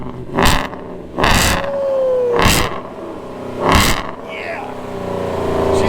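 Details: Exhaust after a Mighty Muffler shop welded several spots to fix exhaust leaks; four sharp throttle blips swell and fall back to a calm idle with no puffing or ticking; sealed, normal exhaust note, loud only when you get into the pedal.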